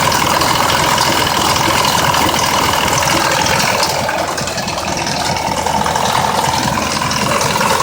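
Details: 2004 Mazda 6s 3.0L V6 at 170k miles, with new plugs and coils and replaced pre-cats that were nearly fully clogged; a rough, lumpy idle with a fast ticking rattle at three to four ticks a second. The owner suspects the bank 2 VVT solenoid.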